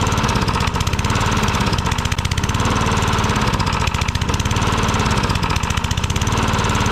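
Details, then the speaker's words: Tecumseh mower engine, reassembled with a known bad, too-loose connecting rod and a bad crank, at idle: hard rapid metallic knocking on every firing stroke; loose connecting rod knock. "I think that knocking is that connecting rod. Yeah, you hear that talking? That ain't going to last long. That connection rod too loose."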